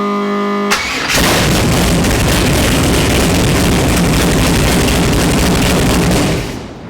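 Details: 1949 Chevrolet Gasser after tilt front end install, checking engine ground repair: quick crank, catches within a second, settles to steady even run without misses or knocks; healthy start, ground works.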